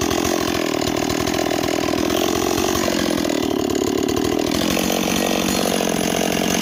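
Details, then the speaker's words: Stihl 026 chainsaw on an 18-inch bar instead of a 20, cutting hickory: strong, steady high-revving snarl holding speed through hardwood; cuts a lot better, running right. "okay it's doing a lot better now I really think the 026 should be with an 18 not a 20 that's just my personal opinion it cuts a lot better with an 18 than it does a 20"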